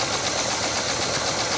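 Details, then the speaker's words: 1968 Chevy Caprice after sitting 18 years, first runs: fast light clattering lifter tick over shaky uneven idle as lifters pump up; way better than before but not perfect. "get those lifters pumped up too much all right let's give it a few more reps there that way way better than what it was before it's not perfect"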